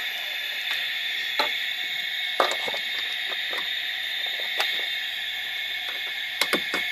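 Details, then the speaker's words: Mongoose car alarm (possibly model M80), installed about 8 years: siren emits continuous high-pitched hiss and tone with random static crackles and pops, coming and going without touching the car; unchanged by arming/disarming, siren kill switch or disconnecting the earth wire; cause unknown. "press the alarm button the alarm arms and disarms the siren still keeps making the same"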